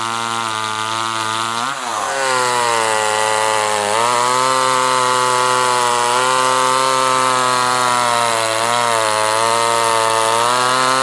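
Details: Homelite LX30 chainsaw (near-identical to Super 2) after carburetor kit replacement (K10-WAT kit), warmed up, air filter on, cutting logs: strong steady two-stroke buzz bogs slightly in the cut and picks back up cleanly; small saw now runs healthy.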